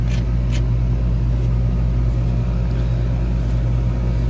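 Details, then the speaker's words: R-410A outdoor AC condenser built January 2017, about six years old, at spring startup, recorded looking down on the fan: steady low hum, constant electrical drone and even fan rumble, no knocks; running normally and cooling. "all right she's running let's see how my camera recording let's see we're getting cold so that's a good sign"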